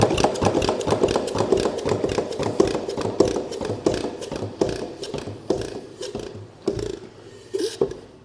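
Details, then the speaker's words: Homemade 'Frankenstein' engine strapped to a table, first run after pistons cleaned and rings refitted, started on ether: uneven, sputtering firing about a hundred beats a minute with weak, soft pulses that fade out; low compression. "now everything thing spins over good um it doesn't have a whole lot of compression um I don't know if that will if it does run if it's going to uh get better or not"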